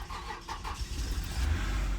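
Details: 2009 Toyota Venza that cranked but would not start, after bypassing a failed internal EFI relay in the fuse box: brief cranking chatter, then the engine catches and settles into a steady low rumble; normal start.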